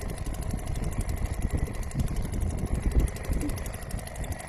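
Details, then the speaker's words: Restored old Seagull 40 Plus two-stroke outboard running in the sea at high revs, where it pumps water well (not at low revs; owner unsure transom is too high). Busy, even buzz, no knocks or misfires. Normal running. "re was no water, but when it's on high revs, or higher than it is now as well, it pumps really well. So I'm pleased to see that."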